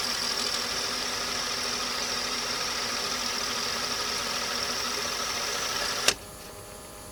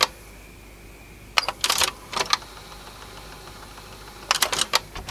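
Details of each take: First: Sony TC-W290 dual cassette deck, soft-touch plastic mechanism with DC servo motor, after repair: an even whirring spin for about six seconds, then stops with mechanical clicks and clunks; transport sounds healthy. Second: Sony TC-W290 dual cassette deck, soft-touch plastic mechanism with DC servo motor, before repair: two short bursts of light, quick clattering as the transport tries to go into play and fails; odd rattling noise, cause unclear.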